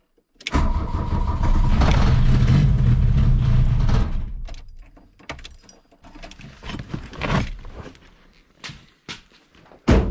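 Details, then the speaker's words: 1982 VW Rabbit diesel, just after the cold start lever is turned off: a loud, uneven clatter runs a few seconds, then falters and fades into scattered knocks; rough running, though it now seems to want to idle rather than race and die as before. "now it kind of acts like it wants to idle a little bit"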